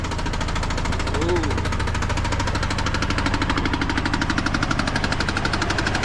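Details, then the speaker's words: GMC Envoy: rapid, fairly regular knocking about three per second over the running engine, seeming to come from the top end rather than the bottom; owner unsure, doubts a thrown rod, plans to pull the valve cover. "Like I said, it'll crank up, you know, but it just, whatever that is, that little knocking, it don't really sound like it's coming from the bottom or nothing."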